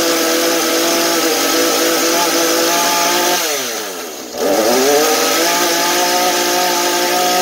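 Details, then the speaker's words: Husqvarna 435 chainsaw after bad old fuel replaced with fresh mixed fuel; high steady scream dropping briefly and snapping straight back to full revs — clean throttle response, holds idle and high speed normally, fuel was the cause. "Tôi nghĩ rằng phản ứng của động cơ là tốt. Sau khi kiểm tra khởi động, máy trong tình trạng tốt."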